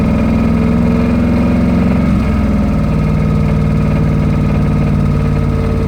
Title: 05 ram hemi rod knock